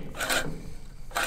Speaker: It's only just grabbing the paper. Which is what you want to aim for when you are back grinding or setting your reel to your bed knife in general. It's just not much contact.